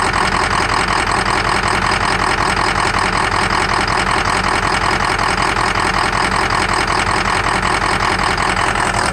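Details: 2003 Ford Excursion 6.0 diesel at idle: regular clatter about eighty beats a minute with an occasional stumble and small blue exhaust puff; #5 injector shows low voltage and poor cylinder contribution, FICM voltage good; suspected misfire.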